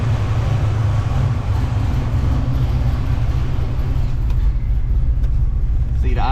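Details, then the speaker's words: Foxbody Mustang after injector and fuel system upgrade, idle raised on throttle body to about 950 rpm, vacuum changed to catch can, low fuel making pressure bounce, warming up: steady low rumble, no misses or knocks; normal idle. "I had to raise the idle up a little bit. Could be because I've got instead of the vacuum system with the catch can now I have and don't have the vacuum, but the idle is a little low."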